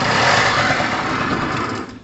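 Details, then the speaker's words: Pulse Force 50cc GY6 two-stroke scooter, first test run after starting: small engine buzzes steadily while still cold, running cleanly; good solid engine that needs good warming. "that is a good solid engine uh really safe to say that when it starts like that it's two-stroke it obviously needs good warming"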